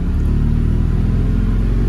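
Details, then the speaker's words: Mazda RX-7 FC turbo rotary, warm after 15-20 minutes idling, still smoking: deep steady drone under gentle throttle; reported to cut out around 3800-4000 rpm when hot, owner suspects secondary injectors or ignition. "slowly increasing throttle pressure and it gets to about four and then I get a bad I come to a back stop. As soon as I go a little bit more it it cuts."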